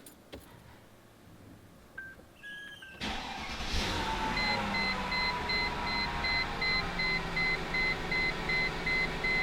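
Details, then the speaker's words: Mercedes S-Class daily driver, first start after fitting a new crank pulley and refitting the serpentine belt to cure a long-standing engine shake: a chime, then it catches into a quiet, even idle with no shake. It is much smoother. "Right off the bat, that is a lot smoother. I can barely tell the engine's on."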